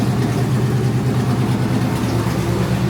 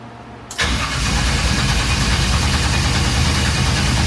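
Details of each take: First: 1954 Chevy idling steady and even with no misses, knocks or stumbles, just after a no-start traced to an unplugged distributor was fixed and fuel pumps primed. Normal healthy idle. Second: Crank-no-start on a '54 Chevy with Holley fuel injection after engine-bay rewiring: four seconds of fast, even cranking, about four beats a second, with no firing; the distributor turned out to be unplugged.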